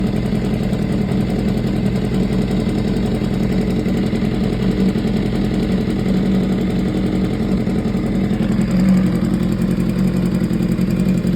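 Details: 2015 BMW S1000RR, 7.8K miles: steady idle with a faint, quick light ticking from the top end; cause not yet pinned down.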